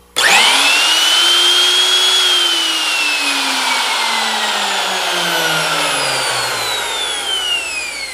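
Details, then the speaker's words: Makita 3600B router after replacing screaming bearings: spins up to clean high whine, holds steady, coasts down smoothly with no grinding or rumble; bearings healthy. "more success oh baby that sounds so good I love it when we succeed"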